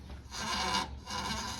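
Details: Newer Toyota Corolla with its lower ball joint disconnected, body pushed down and released: rubbery creaks from a dry lower control arm rear bushing. The owner says it is worse in rain; spraying WD-40 stopped it.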